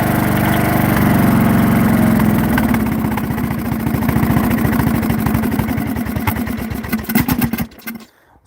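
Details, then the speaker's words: Briggs & Stratton 16 hp single-cylinder, cooling shroud off, at full throttle: revs up, sags, then chugs slower and slower until it dies; no power and stalling, cause unknown. "that was full throttle. As you heard, it revved up, kind of revved down, and then revved all the way down until it died. So, that's really what's going on."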